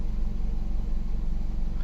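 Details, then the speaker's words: 2019 Nissan Pathfinder 3.5L V6 at idle after cold start, customer complaint of rough running, unstable idle and stalling, code P0101; uneven loping idle as MAF reads only 3.5 g/s, too low; rough idle. "Oh, now it's loping. Look at her. It's not as bad. See, I think our grams per second is too low. We're at 3.5."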